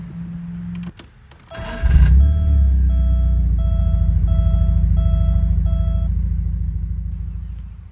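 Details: 1987 Porsche 924S after new injectors with new o-rings, a new oil pan seal and a new battery: starter cranks briefly, then the engine catches and settles into a steady, even idle under a repeating door chime; sounds healthy.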